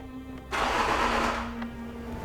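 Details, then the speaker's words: Range Rover L405 3.0 TDV6 after a rebuild for engine knock, first start attempt with a charged battery: a short crank that catches about a second then cuts, cause unknown; cranks then cuts out, no start. "So it cranks a little bit and it cuts. I thought it would be the battery."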